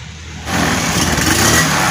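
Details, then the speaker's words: Honda Beat carburetor scooter, seat open and kick-started, revved: rough, uneven stumbling instead of a clean rev. Hesitates on initial throttle, and has no power when the throttle is opened fully. "Abit karbu penyakitnya ini brebet ya bray enggak ada tenaganya katanya ngepos"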